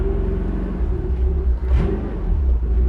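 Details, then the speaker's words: 1985 Toyota pickup with a carbureted engine, abandoned in a junkyard 20+ years, on its first test drive in first gear after signal generator replacement, running with no thermostat: deep steady rumble, no knocks or misses; healthy under load. "First gear. We're moving. This is the farthest it's traveled in over 20 years on its own power."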